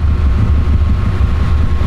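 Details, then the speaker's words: Car being fitted with a COBB flex fuel sensor, left idling to bleed fuel pressure: low idle surging and sagging unevenly before stalling; stumbling from fuel starvation. "i'm surprised it's going to run out of fuel soon and then it should just die it should this one's holding on for dear life"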